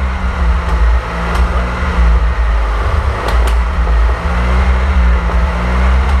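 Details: 1927 Avions Voisin C11 with a 2.3-litre six-cylinder sleeve-valve engine and thermosyphon cooling, on its first start after a rebuild with newly made sleeves, not run for about 60 years: a deep, steady, even drone with no knocks or ticks. Normal running.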